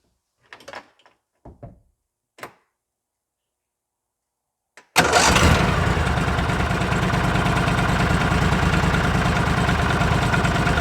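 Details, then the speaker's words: Argo 6x6 with 16hp Briggs & Stratton V-twin after carburetor cleaning (main hole in the jet was plugged with rotten fuel): engine starts after clicks and knocks and settles into an even, steady idle with no surging; secondary clutch not moving. "well that's about 110 better than it was no surging at all see there the secondary clutch isn't moving"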